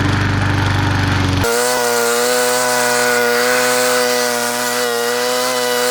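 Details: Bolens 22-inch side-discharge push mower, Briggs & Stratton 500 series engine, after fixing a no-spark no-start, cutting the thickest grass: bogs briefly as the blade bites, then holds a strong steady buzz. Normal running under load.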